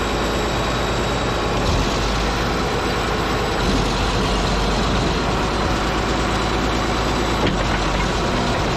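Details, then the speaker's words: Caterpillar D8H bulldozer (46A serial, year unknown, No. 28 cable control unit) running after sitting 15+ years, once fuel reached it: heavy, steady low diesel rumble with an even beat, no knocks or misses, running good. Normal idle. "you guys hear that thing that makes me a happy guy it's running good"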